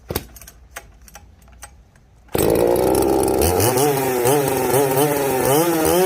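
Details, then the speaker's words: Chainsaw called the 330, stock except for an opened-up muffler (muffler mod), cutting rotten pine: a few light clicks, then a full-throttle scream that pulls steadily, revs dipping and recovering cleanly. It runs well; normal full-throttle cutting. "that's pretty dried out and disintegrating but I mean it can't be denied that the 330 runs good it is a they're great sauce really"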